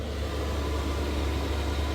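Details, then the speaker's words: Chinese diesel heater in a Chevy Express camper van, about 8 minutes in at full power (level six), outlet air around 203°: steady low hum with an even fan rush, no knocks or surging; running smoothly at full output. "this thing is in uh full swing right now it's actually six bars not five bars so I do apologize uh but right now we're running um as much as we can"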